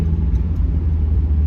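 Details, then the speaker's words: NA Mazda Miata after fixing the cause of its misfire and bucking, driving slowly and pulling away from a stop sign: deep, even engine rumble with no surging or bucking; only slight jerkiness on and off throttle; smooth low-speed driving. "oh yeah this is so much smoother"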